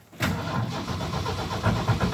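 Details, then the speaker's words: Normal cold start in a snowstorm, no starting fluid, on a 1974 Ford F-250 Ranger SuperCab with the 4.9 straight-six and electric choke: brief crank, then it catches right away and settles into a steady, slightly lumpy fast idle. "that is started actually pretty easy though gotta love that electric choke"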